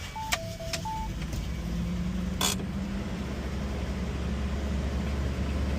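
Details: 1987 Toyota Land Cruiser FJ60, 4.2L 2F inline-6, after new Denso spark plugs and PCV valve: chimes, short crank, then smooth low steady idle hum with no misfire or tapping; healthy.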